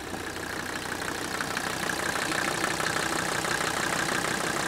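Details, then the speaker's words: Mercedes diesel (1977-1985 lift pump type), after rebuilding the fuel lift pump contaminated by RTV sealant: even, soft injector clatter about three beats a second, steady idle, little smoke; engine running healthy, better than before repair. "And I'm talking to my assistant and said, can you hear this? It actually sounds like the engine's running better. A much softer note to the injectors."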